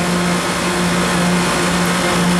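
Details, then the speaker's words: 2018 Koolant Koolers 10-ton chiller, model SVI-10000-M, just switched to local. The pump starts, and the compressor also starts because the set point is low. An even, steady rush with a constant low hum and no knocks or rattles. Normal running. "as soon as i turn it to local you can see that the pump turned on in fact in this case the compressor turned on too because we had the set point low enough"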